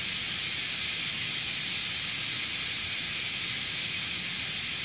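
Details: Multipro 2 HP electric air compressor: continuous steady high hiss with no rhythm; air escaping at the pressure switch.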